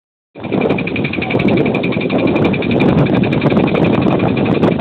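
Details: 2003 Pontiac Grand Am GT, under 170,000 miles, engine running with a loose, irregular knock about once a second. Owner heard it might be lifters or a rod bearing; this engine blew within 6 months.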